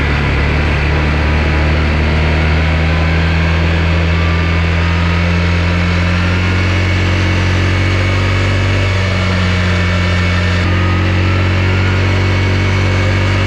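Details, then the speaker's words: Yamaha Rhino 660 UTV single-cylinder engine, covers off, after blown head gasket work, choked start then ridden: loud steady drone rising and settling as it pulls, even firing, no knocks or misses; runs well, obnoxiously loud, water pump working, smoke cleared. "seems to run pretty good man this thing is loud though it's like obnoxiously loud"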